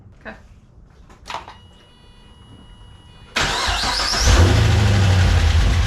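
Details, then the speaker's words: Supercharged GTO V8, first start after fitting tuned ECU: catches after about three seconds and settles into a deep, lumpy but steady rowdy idle; running fine. "well it didn't blow up yeah it sounds pretty rowdy it sounds really good"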